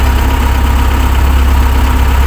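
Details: Excavator that wouldn't start or run, with battery and panel board OK, now fixed. Deep, steady diesel rumble with an even beat and no misses or knocks; normal idle after repair.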